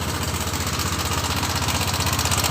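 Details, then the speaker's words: Honda Vario 150 scooter at idle, noisy for about a week; fast, even clatter of about ten ticks a second from the engine's upper end; mechanic suspects the cam chain, not yet confirmed. "di sini ada suara berisik di bagian mesin."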